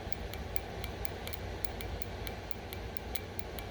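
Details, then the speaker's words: Fuel injector from a 2006 Ducati Monster S2R 800, stuck closed and then freed by soaking in parts cleaner and blowing out with compressed air and carb cleaner: crisp light ticks, four or five a second, over a low hum as it opens normally. "using some compressed air and some carburetor cleaner to blow these out and you can hear it's now clicking"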